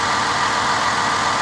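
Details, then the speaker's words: 2009 Ford Escape 3.0 from cold start after misfire repair (codes P0174, P0316, cylinder four misfire): steady, even idle with no stumbles or hiss; no vacuum leaks, injectors working. "that's a fix the engine sounds very healthy and a quote startup sounds perfect i'm really happy this tells me there's no vacuum leaks fuel injectors working as it should"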